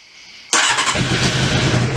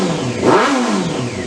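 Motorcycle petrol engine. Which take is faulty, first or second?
first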